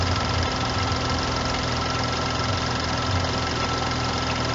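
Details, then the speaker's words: BMW F30 with N55 engine at idle: faint rhythmic chatter from the drive belt side; noise traced to worn drive belt tensioner moving around while running, to be replaced with tensioner, idler pulley and belt kit. "it turns out that that notice that I was hearing was actually coming from my tensioner and I'll show you guys it a little bit I think your tensioner is not supposed to be moving around like this"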